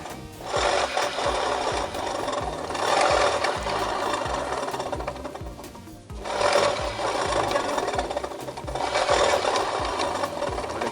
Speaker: Dari hasil analisa ini, yang dikira bunyi oblak kopling dan ternyata bunyi bearing sokar yang oblak.